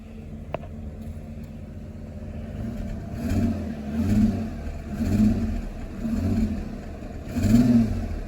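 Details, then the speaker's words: 1999 WH Holden Caprice V8, sat five years, gas-fitted 2008, revved after cleanup; uneven, lumpy revs with a stumbling beat about once a second, sounding like it's running on seven cylinders; misfire, cause not confirmed. "like it's running on 7 cylinders."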